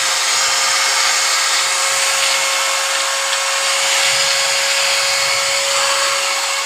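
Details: 801 angle grinder after a bearing change: steady high-pitched whir at constant speed with an even, sharp tone; it spins smoothly with no rattle or grinding, normal running.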